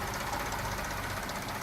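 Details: Mercedes ML350 at idle: quick light ticking knock over a smooth idle, source unclear; others suggest the air pump, owner suspects a pulley or belt.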